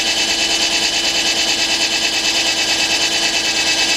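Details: 2004 Nissan Maxima 3.5, P0301, rough running, flashing check engine light, warmed up: steady idle with a regular stumble about three times a second, one ignition spike missing on scope; cylinder 1 misfire from bad ignition coil.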